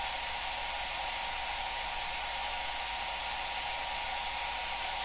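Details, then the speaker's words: Cascade DS-925 hair dryer after repairing a no-heat fault by crimping a broken connection, tested on low setting: steady airy rush of fan and air, no rattles, squeals or speed dips, output now warm, around 50-60 degrees; normal running. "definitely more than I was before and definitely feels warm"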